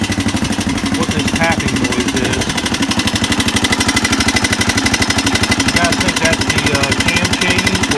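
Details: 1985 Honda XR200R four-valve single that smokes from worn rings: fast steady ticking over idle, rising with revs; rocker arms and camshaft later found pitted and wavy, owner presumes from lack of oil.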